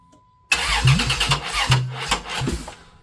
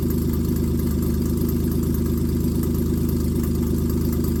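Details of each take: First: 1995 Plymouth Voyager 3.0 V6 after timing work: uneven cranking with ragged fire-ups that never catch, crank no start; owner suspects wrong timing or dead battery, later finds distributor clocked wrong so it fires too early or late. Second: A 1995 Plymouth Voyager 3.0 V6 after the distributor was re-clocked to correct ignition timing. A steady, even idle with a loud, deep exhaust rumble and no misfires is heard, and it warms until the thermostat opens: normal idle.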